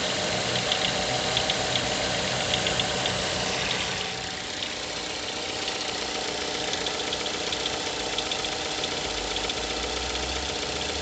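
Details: Mazda 6 GH 2.0 L, cold after long standing, idle 1000–800 rpm: fast light ticking knock about four a second over steady idle; disappears once coolant temperature starts rising; cause undetermined.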